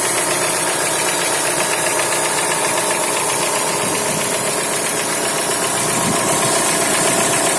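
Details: Chrysler Voyager 2.4 engine at steady idle: light, fairly even tapping about four per second over the engine note; engine knock, cause not confirmed.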